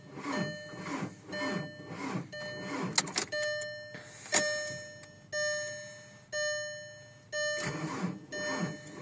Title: 04 tdi 5deg f no start